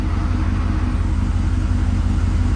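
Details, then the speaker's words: Lifted 6.7 diesel truck idling in the shop after an alternator replacement, battery up from 12.8 V at rest to 14.6 V running: a steady, deep diesel rumble, even with no knocks or whine; charging system working, low-voltage check engine light still on. "i just started it up i tested with my multimeter and it's showing 14.6 so it's trying to charge up that battery a little bit"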